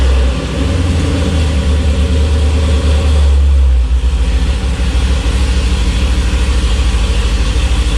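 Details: Chevy K5 Blazer V8 after fixing a starter wire arcing through worn shrink wrap: deep even burble holds steady revs, then settles to a smooth lumpy idle; runs healthy.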